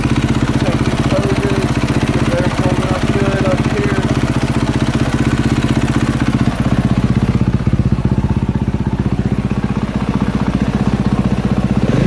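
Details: 2022 KTM 450 SXF after transmission repair (5th gear had failed), warm idle on stand during heat cycle while checked for leaks: steady, even single-cylinder thump at settled idle, no stumbles or extra knocks; normal warm idle.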